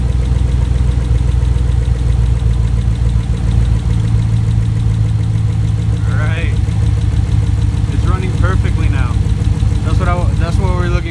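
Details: Rebuilt 5.3L V8 after replacing a bad lifter, final assembly done: steady low rumble with an even beat and no ticking from the top end; smooth idle with quiet lifters.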